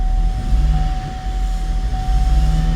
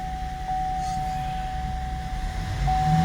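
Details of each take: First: 2015 GMC Acadia 3.6 L found at least 2 quarts low on oil, chewed wiring not yet fixed, codes back after clearing: extended crank then rough, uneven poor running with a lumpy throb and steady high whine. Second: 2015 GMC Acadia 3.6 L, after adding about 2 quarts of oil to a bone-dry engine and clearing codes P018C, P0193, P0201, P0203, P0452: fires right up, smooth idle, revs cleanly with no misfire; no codes return.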